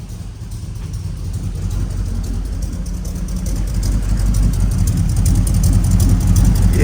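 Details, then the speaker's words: LS V8 (5.3 per the ECU) swapped into a truck, running after a throttle pedal signal fix; a deep, even rumble that climbs smoothly with revs, with no misses or knocks; normal running. "Yeah, baby! Yeah! Heck yeah! Dude! Oh my gosh, it's so good. It's so good."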